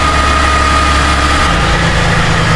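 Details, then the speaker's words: Suzuki Vitara idling after bolts were refitted in a rattle repair: a smooth, steady idle that settles lower partway through, with no rattle or stumble. Quiet, no smoke, no leak. "Yan, bumaba na yung idle niya. Walang leak."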